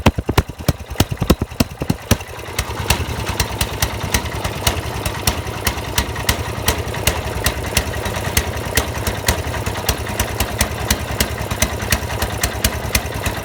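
Sharp uneven pops break through a small engine's beat at about three per second, the stumbling rhythm of a misfire.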